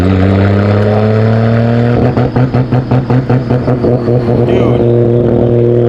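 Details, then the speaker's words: Nissan Skyline R32 GTR driving after a new OEM rubber intake was installed and a ripped ground cable was found. A steady pull breaks into rhythmic stumbles, two or three per second, on throttle; hesitation and sputtering, cause unconfirmed, fuel pressure gauge planned. "Yeah, the car is like hesitating bad. It doesn't even want to go. Oh my god. It's like sputtering so bad the minute I get on throttle."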